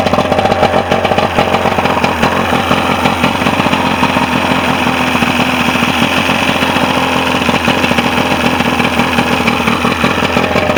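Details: Mercury 125 outboard that had sat, after used stator, rebuilt carburetors, new spark plugs, fuel pump kit and fuel filter: runs steadily at fast even idle, no misses or stumbles, firing smooth and consistent.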